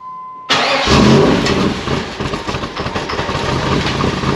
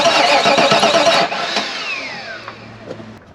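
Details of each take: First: 1994 Pontiac Trans Am GT first start after sitting in a barn since 2005, ignition control module checked; catches at once and settles to a steady even idle, no knocking; oil pressure gauge fluttered, thick oil; normal idle. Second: 1994 Pontiac Trans Am GT, stored in a barn since 2005, cranking steadily at about three and a half turns per second with the fuel pump not running, then the starter drops out; no spark.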